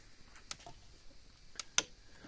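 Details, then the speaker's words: Cyclops Master fence charger (second-largest model) just plugged in: sharp dry clicks about a second apart in a quiet room, a slightly slower pulse than other units; pulsing normally. "got a single light that flashes on the front is a little a little slower of a pulse"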